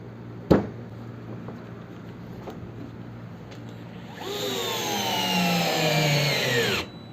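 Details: DeWalt DCF682N1 gyroscopic screwdriver driving a 4 cm screw into solid wood without a pilot hole: one sharp knock, then motor whines about 2.5 seconds with pitch sagging as the screw bites; driver bogging under heavy load.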